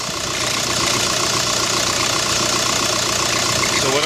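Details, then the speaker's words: 2005 VW New Beetle TDI at idle, AC off: steady diesel idle with a harsh, gritty hiss and grind from the belt drive. Cause: replacement alternator with a bent shaft and a worn original tensioner pulley giving too little pressure; both were replaced. "I'm going to turn it on and we'll see if we can hear it definitely grinding in there for sure I can hear something grinding"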